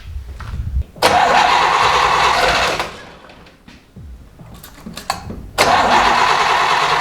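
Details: 1960s Chevy V8 muscle car first start after many years sitting, old fuel drained, fresh 91 octane with Sea Foam added: short crank, then a loud lumpy bark that dies and refires; runs, distributor still needs tightening.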